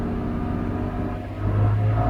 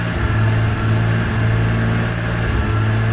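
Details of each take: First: 2002 BMW E46 M3 drift car, about 200,000 km, completely cold, after replacing both throttle position sensors: starts right up, revs slowly and smoothly all the way up with no sputter or hesitation where it stuttered before. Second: 2002 BMW E46 M3 drift car, almost 200,000 km, EML light and power loss when hot: engine held at steady mid revs with a low drone that keeps dropping out and catching, a misfire-like stutter from a faulty throttle position sensor.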